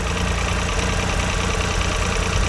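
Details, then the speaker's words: Vauxhall Corsa 1.0 Ecoflex three-cylinder petrol, just rebuilt with new valves, head gasket and timing chain: smooth, quiet, even idle with a light sewing-machine patter, no knocks or misses, slight exhaust blow noted underneath; normal idle. "Sounds really nice. Like a little sewing machine. Quiet."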